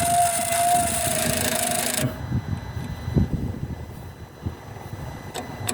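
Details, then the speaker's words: Volvo XC90 with ignition on only, engine off: a steady mid-pitched electric whirr runs about two seconds then stops. It comes from the turbo's electronic actuator arm, possibly sticking from carbon buildup (suspected). "but that is the noise I'm having at the moment as soon as you have it on um ignition so that's just ignition on you're getting that and I found out what it is it's the actuator arm on the turbo let's have a look"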